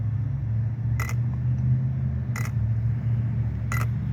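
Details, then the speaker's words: Arrma Big Rock 6S RC truck, Spektrum Firma 150A smart ESC, run on a 5S pack: the ESC counts it as 6S and treats it as dead. Short sharp beeps about every 1.4 s over a low hum; low-battery warning. "This is the sound it makes when the battery is dead."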